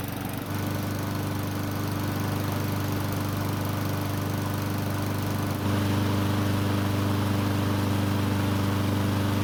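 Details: Honda mower after fixing oil leaks: valve cover resealed, bolts torqued next day in over 90°F heat, valves checked and adjusted. Starts and settles into a steady, even beat, no misses, knocks or surging. Runs great.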